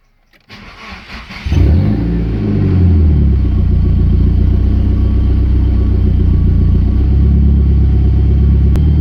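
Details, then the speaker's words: Nissan 200SX S14 after fitting AliExpress injectors (previously lean with jerks at 4,500 rpm): quick crank, starts first time and settles into a smooth, stable idle with no hunting or misfire; mixture gauge reads good. "as you can see the car starts perfectly the first time it keeps the idle quite stable and the mixture clock is actually quite good"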